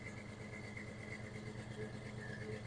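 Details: 1996 Ford F-150 V8, engine reportedly rebuilt ~30,000 miles ago, recorded at exhaust pipe before coming off fast idle: uneven lumpy idle with dropped firing pulses, no smoke; audible miss, poor compression test.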